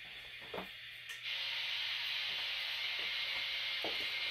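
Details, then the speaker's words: PRC-77 backpack radio (receiver fine, transmitter faulty) with bush whip antenna and battery, heard through the handset: a steady rushing hiss that swells partway through; normal receiver noise with the squelch off. "this is the normal rush of noise you hear through the handset when you're not using the squelch"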